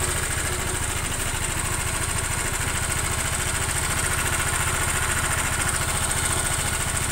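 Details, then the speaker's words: Honda Vario scooter engine whose new piston wore out quickly: steady idle with a fast, loose metallic klak-klak rattle of about three knocks a second. It resembles cam chain noise but is a loose connecting rod, with a scored piston also suspected. "Nah gesekan Iki Mas menyebab Kak klakak klak klaklak seakan-akan koy suara rantai keteng tapi bukan mas ditambah KR utowo setang piston ya longgar"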